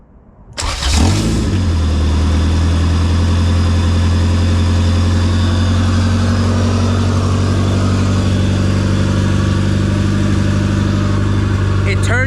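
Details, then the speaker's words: JDM Honda Civic EF2 with B18C Type R swap, converted to EFI on an OBD1 harness, no cooling system fitted: catches at once and holds a smooth, steady idle, no stumble, knock or hunting. "We are idling right there. Oh, man."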